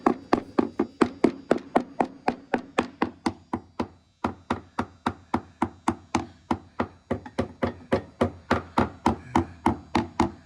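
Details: 1956 Capri boat hull being sounded by tapping about every 3 inches on the starboard side, behind the axle: crisp wooden taps about four a second, mostly solid. Slight dullness where backed by extra plywood; no rot heard.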